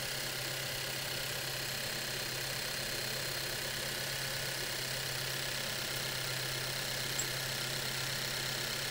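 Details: Car engine at idle checked with a mechanic's stethoscope for mechanical noise or tapping: steady, even idle hum with a constant low drone and no knocks, ticks or rattles; normal idle.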